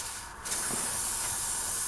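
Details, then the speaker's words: Slowly leaking tire with air blowing out of a small puncture hole, before drilling and plugging it. Loud steady hiss at a constant pitch: a tire puncture air leak. "just so you can see air is really blowing right now okay i don't know if you can hear that but it's blowing pretty good"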